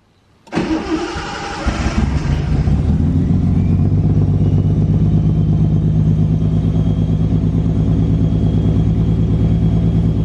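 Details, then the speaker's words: Datsun 280ZX with turbo L28E engine and a newly installed Haltech 550 ECU, first start; quick crank and catch, then a rhythmic surging idle pulse, about three per second. Cause suspected: ECU settings not quite right, timing still to be checked. "i mean like it's pulsing at the moment because we haven't got something like quite right"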